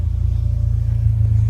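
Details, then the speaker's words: 2004 Acura TSX (K24A2) with new aftermarket exhaust, heard from the rear at start-up and light revs: deep, steady drone with a quick even pulse building slightly with revs; clean, healthy exhaust note. "The sound of the exhaust."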